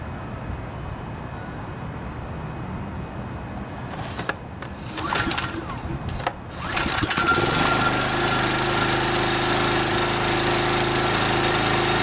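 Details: Kawasaki FC150V 6.75 hp engine on a DR TR-1 walk-behind trimmer, after carburetor cleaning (plugged main jet, float needle) following long storage: a few pulls, catches around seven seconds, settles into a steady, even buzz while warming up; normal start.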